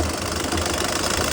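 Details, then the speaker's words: Passat 1.6 diesel idling with a rough busy rattle and chatter; customer thought it was the gearbox, which it sounds like on the road, but the cause is a failed alternator pulley and tensioner with belt flapping. "Bug müşterimiz bize şanzıman ses yapıyor diye geldi. Yolda gerçekten şanzıman ses yapıyor gibi geldi."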